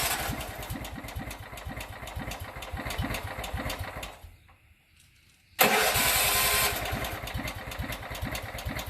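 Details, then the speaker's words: Riding lawnmower with a used Kohler engine swapped in for a blown Briggs & Stratton, first start, possibly cold: catches and settles into an even, quiet idle with steady firing pulses and no knocking; sounds healthy. "Might be cold. Oh, that's quiet. There's no knocking."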